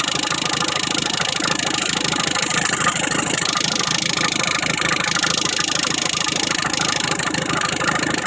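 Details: Engine with only about 20,000 km idling: fast, steady light rattle, mostly at idle, from a failed timing belt tensioner.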